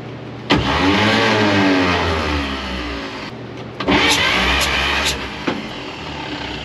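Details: 1953 Chevy 5700 COE truck, sat about 50 years, cranked during a compression test (readings about 60 and 75, one cylinder with no compression): starter grinds it over in two long, uneven, labouring bursts with no firing; compression can't be judged by ear.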